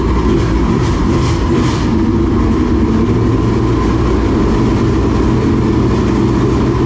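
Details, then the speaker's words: Dirt late model race car engine running a steady, even note with no misses or stumbles, checked after a frayed, rubbing belt was found; sounds good, never missed a beat. "Well, that sounds good. Yeah. Sounds good. Never missed a beat. Never missed it."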